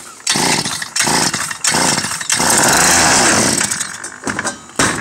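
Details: Predator 56257 engine on an earth auger that won't start: repeated pull-cord rasps about once a second, then one brief ragged catch that fades out. It won't keep running, and the fault was traced to an intake manifold air leak.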